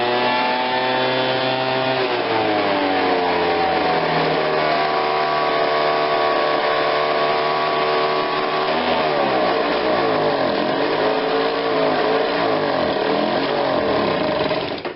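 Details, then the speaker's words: Ryobi 760 CFM two-stroke backpack blower, customer says it runs but falls on its face: buzzy note climbs, then sags and wanders, won't hold revs off choke; bogging, cause not yet pinned down. "okay so without the choke on it's not really running but it's not horrible"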